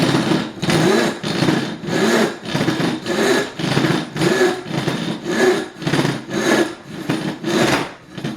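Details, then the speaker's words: Freshly sharpened coarse rip hand saw starting a cut with weight kept on the tip: coarse rasping strokes about once a second as the teeth catch and grab the wood. "and now again that helping keep that weight on tip and here it's just catching"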